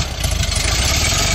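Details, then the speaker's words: Air-cooled VW engine idling with an even, steady beat and a small throttle blip, with no misses or knocks, right after the distributor was rotated to get it running. Still needs proper timing. Normal light rev. "runs great now you'll need to properly time it it's probably pretty close but you're gonna have to properly time it yeah but it sounds good"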